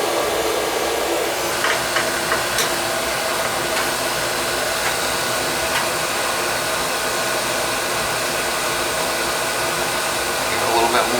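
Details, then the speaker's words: Viessmann oil boiler burner after fitting a new nozzle, resetting pump pressure and adjusting the air band, on a windy day. A smooth, even blower and flame roar with no sputtering or pulsing shows normal, clean burner operation. "Alright, new nozzle, reset pump pressure, and good oil flow. You can hear it's not spittering, sputtering or nothing."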